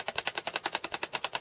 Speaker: rattling yeah and that that rattle that indicates that they're very loose